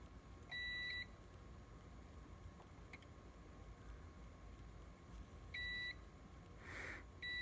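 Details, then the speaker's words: Tektronix 2213A oscilloscope, channel attenuator fork pin: short multimeter continuity beeps cut in and out with probe pressure when measuring from the right pin to a resistor, showing intermittent continuity from a loose pin contact. "I'm gonna put my probe ever so gently on there and then measure to this resistor again this should make contact and it's not"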